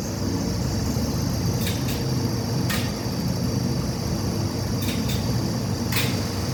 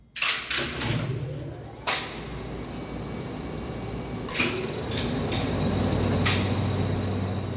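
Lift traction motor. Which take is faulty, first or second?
second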